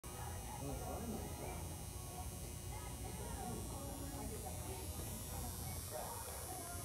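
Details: Loud store pendant light fixture: a constant electrical buzz with a thin high whine; source unknown, guessed as metal halide or PL-T/PL-L fluorescent, no flicker bands on camera, possibly an early electronic ballast or not a ballast at all.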